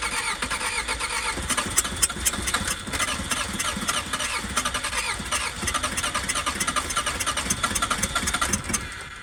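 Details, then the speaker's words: Skoda Favorit project car after long storage: cranks with fuel poured down the injection unit, fires briefly then dies as it runs out of fuel; cranks but won't keep running, fuel starvation suspected. "so we've tried a bit of fuel down the injection unit there and it tries to catch on it really dries and then it runs out of fuel and it doesn't have anything to keep going"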